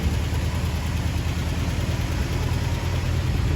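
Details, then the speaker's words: 1975 International D150 pickup after fuel pump replacement and carburetor rebuild, running off a small gas can: smooth, even idle, steady exhaust beat, no knocks, no longer smoky; oil pressure gauge shows nothing. "Definitely sounds healthy, that's for sure"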